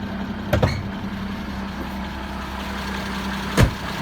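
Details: Mercedes OM603/OM606 diesel at idle, steady hum broken by sharp metallic clacks a few seconds apart from the engine bay; worn serpentine belt tensioner shock damper, not valve train, fixed by replacing it.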